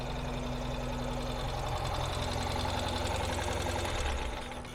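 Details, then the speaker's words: 2024 Ural Gear Up Ember Flame Expedition boxer-twin sidecar motorcycle idling with running and driving lights on: steady, even low pulsing with no knocks or misses, idling very happily. Normal idle. "You can see here it's idling very happily."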